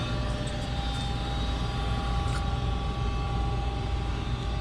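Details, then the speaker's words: Goodman 95% AFUE gas furnace, first official startup of the 2019-2020 heating season, burner lit: a steady, even low rumble with no knocks, rattles or surging; normal running. "so this is gonna be the first official startup of the gas furnace so let's fire it up there goes and there goes the burner"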